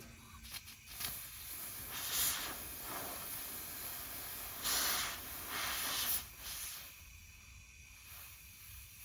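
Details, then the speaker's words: 1984 Honda ATC70 50cc engine on a leak-down test: airy hiss in bursts as air fed into the cylinder escapes; intake valve isn't sealing. "well we don't have to go any further it looks like we have a bad intake valve"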